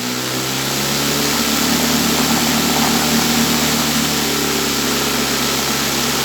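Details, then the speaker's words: Homemade vibratory/rotary sand tumbler (barrel cleaning parts) driven by a sander underneath; at very low speed the sander grumbles, then speed is raised slowly until sand rotates; steady even hum with sand rattle, no knocks — normal running. "là on entend grogner un petit peu la ponceuse dessous parce qu'on est vraiment à bas régime. Je vais augmenter tout doucement la vitesse."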